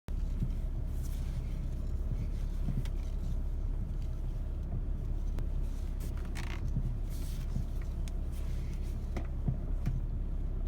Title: BMW e61 525d noise when turning steering wheel?????